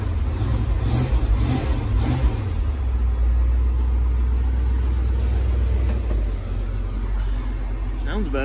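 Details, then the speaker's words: 1971 Ford F100 V8, after new Remflex metal header-collector gaskets replaced failing paper ones: revs up and settles into a deep steady idle, the former exhaust tick and rattle gone; normal running after the repair. "i'm not a tick tick tick anymore that rattling"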